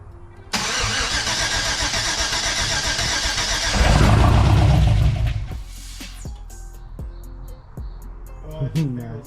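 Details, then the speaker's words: First start of a Chevrolet Camaro ZL1 after an LSA engine salvaged from a burnt Cadillac CTS-V replaced its blown engine: steady starter cranking at about 3-4 beats a second with no firing, done repeatedly to prime the oil. "All right, first start on the ZL1. Hopefully, it starts. Remember, don't let her run. It needs to prime up. Do it a few more times."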